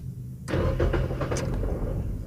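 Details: Nissan Almera that won't start: starter churns the engine over steadily but it never fires or catches; cranks without starting, first check suggested is the fuel pump fuse.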